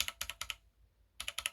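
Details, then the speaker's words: Kemove 61 Shadow mechanical keyboard: crisp keystrokes, each press of the H key followed by a short metallic high ping. "i'm hearing pinging uh one of these ah h my h key you probably don't hear that but i hear the ping"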